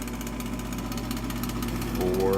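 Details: Old Bryant furnace draft inducer motor giving a steady droning hum with a rough buzzy edge, noisy for years; worn inducer motor assembly, replaced afterwards.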